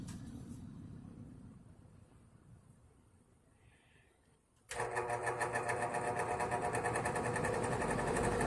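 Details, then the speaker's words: 1960s Wizard reversible box fan, 2-speed motor, running in reverse: hum with rapid fluttering pulse about four times a second; abnormal noise, owner suspects bearing or a wire, unsure. "Maybe somebody can tell me exactly what that is. It sounds like it could be the bearing, or it may be one of the wires. I am not exactly sure."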